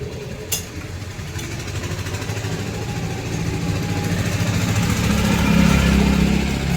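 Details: Honda Activa scooter after a clutch-noise repair and reassembly: a click, then the engine catches and settles into a steady, even beat that builds smoothly; sounds healthy.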